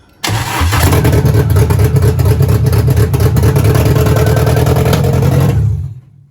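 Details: Renault Clio 172 with freshly installed engine, exhaust fitted and wired but no cooling system, after fuel pump hooked up: fires on the first crank, settles into a steady low drone for about five seconds, then shuts off; runs cleanly.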